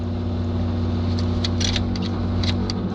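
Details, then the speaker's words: 1979 Chevy K10 V8, cold-blooded with no tach, just after cold start: steady low rumble with uneven pulses and occasional sharp ticks; very rough cold idle. "as you can hear it is very rough it shouldn't be off right now um but if you got a cold-blooded vehicle if you got a cold-blooded vehicle and you're trying to listen and make sure it's where it's idling because i don't have attack in this thing that can be a very big problem at least annoying one"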